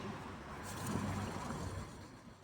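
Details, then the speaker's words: 2018 Vera with a wheel-bearing noise complaint: a hand-spun wheel gives a rough, gritty growl, with a crunching under light brake-pad scraping that fades as it slows, from a worn wheel bearing. "Si se dan cuenta, suena un poco la balata, pero entre ese sonido hay un sonido de crujido."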